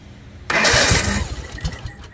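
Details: Toro zero-turn mower with a clicking no-crank, traced to low voltage from a bad starter that had locked up: a short crank, then the engine catches and fires into a rough, settling run once the starter turns it over.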